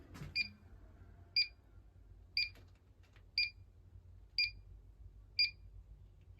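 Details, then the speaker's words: Gas furnace and tankless water heater fittings: detector gives a sharp high double-pitched chirp about once a second over a quiet room, alarm flagging a gas leak at a pipe union, though a nearby elbow later proved the clearer leak. "all right I think we found her oh yeah that Union right there leaking"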